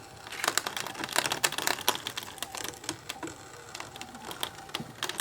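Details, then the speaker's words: Brother ScanNCut cutting machine cutting heavy crepe paper: irregular sharp clacks and smacks over a quiet motor whir, far beyond normal ticking, sounding like something exploding inside; loud clacking during cut, cause unclear. "That just sounds awful. It just sounds like everything was exploding inside my machine."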